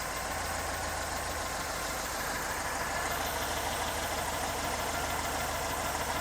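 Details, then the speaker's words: 1974 Porsche 912 flat-four at idle during a one-wire-at-a-time plug-wire drop test: steady, even beat with no misfire stumble. The rpm drop is even across all four cylinders, so the ignition is healthy. "so the drop is even amongst all four cylinders so that's another really good sign"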